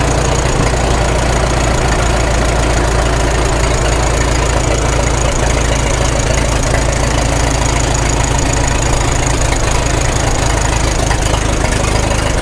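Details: 1936 Caterpillar Twenty-Two tractor, revived after years sitting, at full operating temperature with 35 psi oil pressure, Zenith carburetor: deep, steady, evenly beating chuffing idle with no knocks or misses; healthy warm idle.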